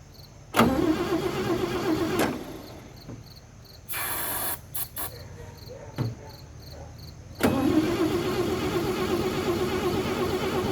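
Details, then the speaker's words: 1956 International S132 pickup, fed starting fluid, cranks in short bursts at a steady chug but never fires; no spark at the plug though 12 V reaches the distributor; points and condenser later replaced. Crank, no start. "all right guys so first things first we were checking the spark plug here because we didn't have spark so confirm there's no spark however we are getting power down here to the 12 volt terminal on the distributor"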